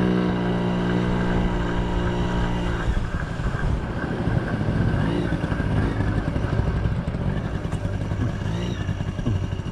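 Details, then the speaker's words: 1980 Yamaha QT50 two-stroke moped on its test run after its first start in eight years and many new parts: steady buzzing idle, then even revving with no misfires or stumbles. Runs good, nice and quiet, no issues. "runs good definitely no issues so nice and quiet"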